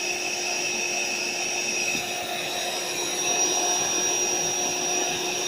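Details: AeroBed Deluxe Raised double air bed, built-in electric pump inflating it slowly, pinhole leak suspected near the bottom: steady high whirring drone at constant pitch, no stutter or strain; pump inflating normally.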